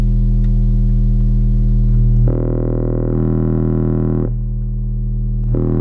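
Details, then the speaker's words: Four-channel car amp under the driver knee panel of a Dodge Ram driving 6x9 front and 6.5 in rear speakers, 40 Hz test tone: deep hum turns buzzy and harsh in stretches, then clean; amplifier clipping from gain set too high. "As you hear that distortion, back off the gain slightly so you hear that clear 40 Hz hum."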